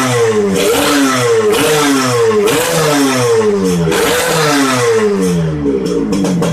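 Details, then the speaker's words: Kawasaki Ninja R 150 two-stroke after fitting a modified King piston with a dead-skip piston pin. Repeated crisp blips, revs rising and falling about once a second with no rattle or misfire; runs smoother than with the Eriking piston. Normal revving. "Ini video setelah kepasang, suara mesinnya juga halus, lebih halus daripada pakai piston Eriking."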